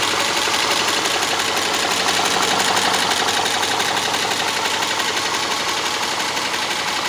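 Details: Subaru Legacy 2.5 SOHC at idle: fast, even light ticking, roughly three per second, over a quiet idle; a top-end tick whose source isn't pinned down.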